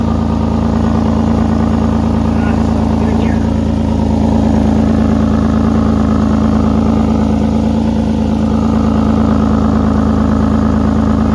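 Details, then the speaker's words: 1986 Ford F350 6.9 IDI diesel after welding exhaust holes, heard from below: steady idle with a rapid puffing tick about three a second; significant exhaust leak remains, possibly at a pinhole near a welded bracket. "you can hear there have fin now I'm not sure what happened I thought I got most of the holes and that's a pretty significant leak"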